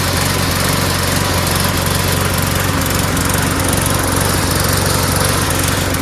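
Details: Mower after fitting a replacement O-ring part: a steady high-revving drone with a faintly stumbling, sputtery beat. The carburetor is not suspected; the owner blames cloudy, water-saturated gas mixed with two-stroke oil and plans to drain and refill.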